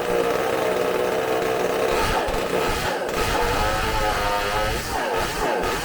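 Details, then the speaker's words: McCulloch supercharged chainsaw bench-run on tank fuel: a high two-stroke scream that wavers and sags, sounding a little lean while climbing, then clears and holds once the high jet opens at top revs. "Little lean it sounds like coming up, but when it gets to the high RPMs, it's finally starting to open the high jet."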